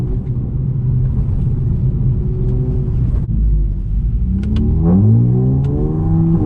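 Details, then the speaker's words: Nearly 400hp CT2 street car after a transmission fluid change; engine pulls hard with rising roar, quick dip at each upshift through 4th and 5th, no slip or flare; shifting crisp like new. "We got the trans fluid changed, and this bad boy shifting like it's brand new, crispy and everything."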